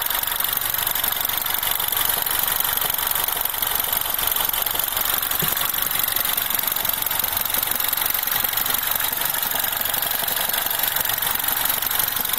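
Warm idle with a fast, fine metallic chatter sitting on top, steady and unchanging with no throttle; classic timing chain rattle.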